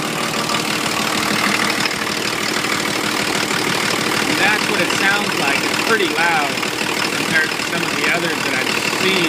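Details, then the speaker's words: 1980 International Scout II with factory Nissan SD33T turbo diesel, first run after rebuild, cold and idling high while dropping: hard, loud clatter over a quick uneven beat; owner unsure whether the cam causes the noise. "there you have it it's idling right now at about 7500 and teetering down because it's still cold so uh"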